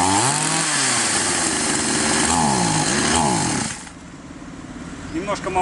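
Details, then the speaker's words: Chinese copy of a Stihl MS660 chainsaw, both carb screws set two turns out: high buzzing that surges up and down and won't hold revs, then drops off; running lean, fix is opening the screw nearest the cylinder. "немного не хватает. Мы откручиваем тот, что находится ближе всего к свече зажигания."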